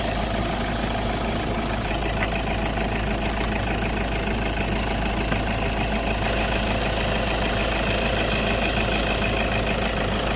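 Steady, even idle with a constant hum and no rising whine or clatter; the engine sounds healthy at rest.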